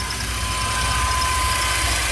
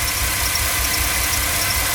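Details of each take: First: GMC Safari 4.3L Vortec V6 with code P0305 cylinder 5 misfire, after new platinum plugs, cleaned cap and rotor and repaired wires, still smoking a little: steady smooth idle, no misfire stumble. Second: GMC Safari/Chevy Astro 4.3L Vortec V6 at idle with code P0305: uneven stumbling low beat as cylinder 5 misfires, before ignition tune-up (plugs, cap, rotor, broken wires).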